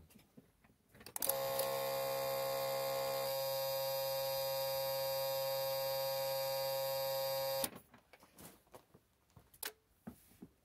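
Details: Isuzu Trooper/Holden Jackaroo 4JX1 engine with new aftermarket alternator, key on: blue relay gives a steady high-pitched buzz for about six seconds with its capacitor removed; fitting a capacitor quietens the relay buzzing.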